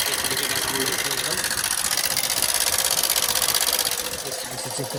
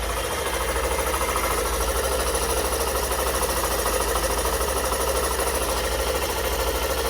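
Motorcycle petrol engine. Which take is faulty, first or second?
first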